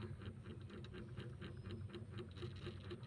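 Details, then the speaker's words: Two-door Sharp fridge, dead for about a year: with the defrost timer turned until it clicks and power on, the fridge doesn't run but the timer vibrates with a faint hum and light regular ticking; normal defrost timer operation. "kita Nyalakan kembali dia tidak menyala ya teman-teman kulkas ini tidak hidup tetapi sini anda dengarkan dia bergetar kita rasakan dia bergetar Oke dia bergetar teman-teman"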